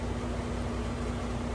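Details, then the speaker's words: Window AC unit after cleaning, dirt dauber nest removed from the fan blade: smooth steady hum, constant low tone, gentle fan rush, no rattle or vibration; running normally. "I don't know if y'all can tell, but this air conditioner's running smooth now. It ain't vibrating. That's all because of that dirt dauber nest on that fan blade was what causing it to do this."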